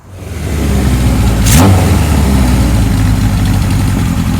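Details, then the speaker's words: 1978 Kawasaki KZ1000 LTD four-cylinder with new rings after sitting outside: catches and settles into a fast, slightly lumpy uneven idle while still cold; expected to smooth out as it warms and rings break in. "Sounds like it's going to straighten out the more it warms up. Let the new rings break in and everything. Motor sounds good."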